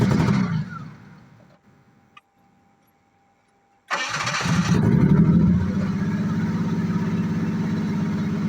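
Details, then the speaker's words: 1986 Jaguar XJ6, unstarted for two years, after fuel pump change and refitting parts: cranking, a pause, then engine fires and settles into steady even idle with no misses or knocks. "okay now now we have fixed everything back in place and the car has started once so"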